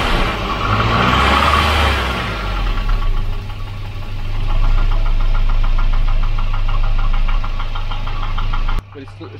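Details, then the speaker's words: Volvo 240 with Redblock B230 engine, the noisy motor at idle: hollow rapid knocking about four a second, piston slap that stays too loud regardless of temperature, far louder than the quiet engine. "like that no matter the temperature a bit too much really yeah it's just a bit too loud i mean by comparison you know it's a huge difference there"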